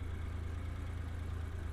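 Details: Daewoo Damas freshly converted to fuel injection with new ECU: low, smooth, even idle hum with no knocks or misses; engine running steadily and cleanly after the injector installation.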